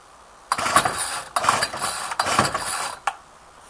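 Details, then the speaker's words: Older Ryobi, unused two weeks, cold start at about 8–9 °C, ten primes; three ragged bursts catching and dying. Starts only with fuel in carb; later fixed by carburettor adjustment. "it's normally pretty hard starting as some of the older Roy obes are St don't sound too healthy it's right no choke oh huh she don't want to run"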